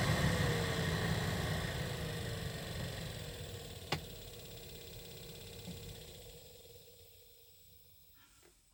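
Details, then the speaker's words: 2013 Toyota Highlander 2WD, 117,000 miles: the cabin heater/AC fan whirs with a faint repeating click, about three a second, as it slows; the blower motor in the passenger footwell is failing and needs replacement. "it's a typical for Tota vehicle vehicles and Honda vehicles the blower motor is failing and it starts clicking like this and it's time to get rid of it replace it with a new one"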